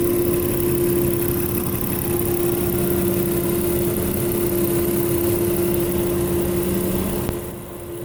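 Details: 2000 Toyota Avalon XLS at idle: steady mid-pitched hum rides evenly over a smooth idle; alternator was failing and died just after battery replacement, and the hum disappeared once alternator and belts were replaced. Alternator whine.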